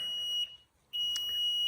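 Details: Newly installed Platinum Gladiator Performance unit in a basement: a shrill, steady high alarm beep holds, cuts out about half a second, then resumes. Clearing it later shows "service needed", possibly a timer, and the cause is not confirmed.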